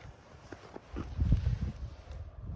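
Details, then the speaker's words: Hurley Mini Swell e-bike, about 3 years old and 700 miles, no motor running: dull, irregular low clunks each time the bike is rocked; worn bushings inside the undamped suspension fork let the lower legs knock and rock. "bushings inside the fork are actually wearing, so this lower section of the fork is starting to rock."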